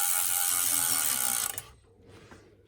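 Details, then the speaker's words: Bicycle with Shimano rear derailleur after cable tension adjustment, chain now more centered. Fast, even freewheel and chain ticking for about 1.5 s with only slight remaining noise; normal drivetrain running, much better than before. "Getting some noise. But yeah, that's running much better than it was."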